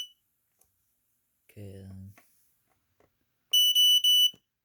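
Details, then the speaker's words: LifeSaver 0916 smoke alarm under test: shrill high-pitched beep pulsing in quick, evenly spaced bursts for under a second, the pattern the owner calls a "46" code; alarm sounding normally. "so that's basically what sounds like it has a 46 or something I don't really keep track of all the codes"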